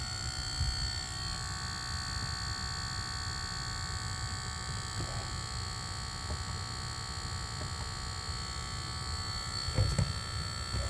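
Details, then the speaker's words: Lucid electric car with a buzzing noise that switching driver profiles did not clear, heard during a reset: a steady high electrical buzz with several fixed tones over a quiet background; it stopped after a later logo reset, cause unknown. "I'm doing Bobby reset. Noise is still there."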